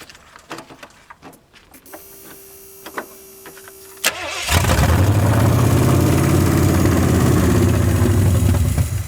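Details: 1981 Ford Mustang 5.0 V8 with carburetor, after resetting the mixture screws from about 14 turns out: engine catches and settles into a loud, uneven, strained idle that seems about to stall. Owner suspects a vacuum leak or another bad carb.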